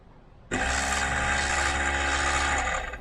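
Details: 2011 Kia Ceed with a replacement ABS unit, pump motor run through a scan-tool actuator test: a steady, even whir at one pitch for a couple of seconds, then it stops. The ABS pump works normally.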